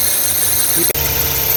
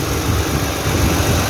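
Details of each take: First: 2009 Toyota Highlander/Kluger 3.5 V6 at idle: steady high chirpy squeal over smooth idle, constant with engine speed; noisy belt tensioner, noise stops when sprayed. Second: 2009 Toyota Highlander 3.5 V6 after replacing the drive belt and the noisy belt tensioner: steady, even idle with a smooth hum and no chirp, squeal or rattle from the belt drive; tensioner noise gone.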